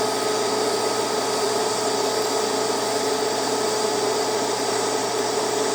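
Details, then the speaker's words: Beginner's first TIG lap joint on cold rolled steel coupons at 120 amps, raised because current seemed too low: smooth, unbroken hiss with faint steady hum, no popping or crackle. Stable arc laying a better bead, a little wavy. "I'm gonna go up to 120. I'm gonna crank the amps up a little bit. Maybe it is still a little too low on the current."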